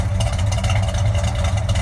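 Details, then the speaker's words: 1966 Chevelle V8 with Holley carburetor and a suspected accelerator pump leak; steady deep idle with light uneven metallic chatter — exhaust pipe rattling on one side, not yet inspected. "I think I got a little bit of a rattle on this side. I haven't looked at that yet, but right now it sounds pretty good. You can see the pipe rattling a little bit."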